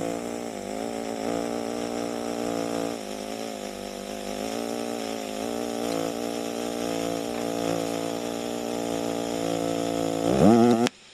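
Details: EWM Tetrix XQ 230 Puls AC/DC Expert 3.0 TIG welder, pulsed: soft even buzzing arc pulsing about four times a second, quiet and steady until cut off; welder notes occasional small arc clicks of unknown cause. Normal pulsed TIG.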